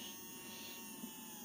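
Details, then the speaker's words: Hornby R2761 Class 20 OO-gauge diesel locomotive, a non-runner, with its motor run directly from the PCB: a steady, even high-pitched whir with no catches, so the motor is healthy and the fault lies in the stuck gears. "as you can hear and see, the motor's in good order. It just comes down to this being stuck in here."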